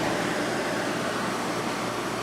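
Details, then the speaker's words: 2014 GE 8,100 BTU window air conditioner with Gree compressor and KB fan motor, R410A, run for a while beside an LG unit: steady even whoosh of fan and compressor, fan fast on all speeds, no rattles or squeals; normal running. "after letting the G run for a while it's just as cold as the LG really isn't that l loud fan definitely does spin pretty fast on this one on all speeds"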